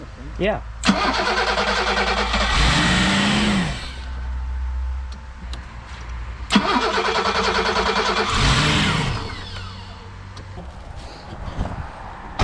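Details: 1987 BMW 528e (E28), sat nearly two years: two cranking spells, starter turning quickly and evenly at about three compressions a second, but no fire; relay swapped.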